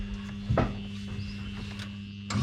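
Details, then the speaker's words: Homemade turbo jet boat, first power-up of new wiring: bilge pump starts when the float switch is lifted, steady low electric motor hum with a couple of handling clunks; float switch and pump work normally. "Yep, so when the float switch is lifted, it works."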